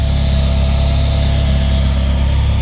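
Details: 1994 Civic EG K20-swap race car, first start after fuel-leak fix, 4-1 header and full 3-inch custom exhaust: deep steady idle with loud free-flowing drone, no misses or knocks; fuel pressure good, engine healthy and even.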